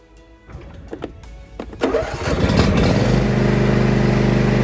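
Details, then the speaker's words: John Deere E120 mower with surging and hard starts, after a tune-up with new oil filter, fuel filter, air filter, spark plugs and ignition coils: starts quickly after a few cranks, then idles smooth and even; idle settles back to normal. "the idle is kind of going back down they're normal after a few seconds of trying to get a little bit more acclimated"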